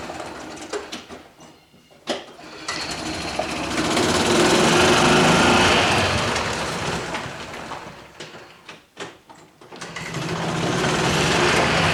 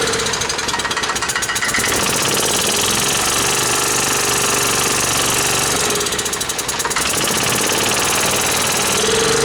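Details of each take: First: Club Car golf cart, stored 4 years, after water was worked out of the system and a water-seized pivot point was believed to be the cause of quitting: steady even single-cylinder beat rising and falling as the cart pulls away and slows, normal running. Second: Club Car golf cart stored 4 years in a barn first fires after the fuel was checked for water and the float bowl filled: harsh, uneven clatter about four beats a second with heavy shaking, rough running.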